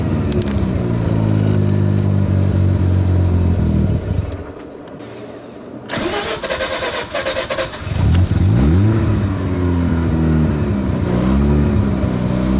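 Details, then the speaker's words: Mazda RX-7 rotary with a hard-start issue, just restarted after plugs refitted and EGI fuse back in: lopes unevenly, sags nearly to a stall, then revs up and down unevenly, smells of raw fuel; rough running, cause unconfirmed. "so here we go see how rough it was smells like a lot of raw fuel too"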